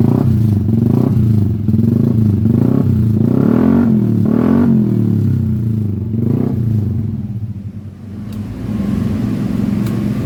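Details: Yamaha Aerox 155 scooter after an electrical failure repair, with the body cable taped and the body cover refitted; engine check light still to be researched; steady running, revs rise and settle, firing evenly, normal.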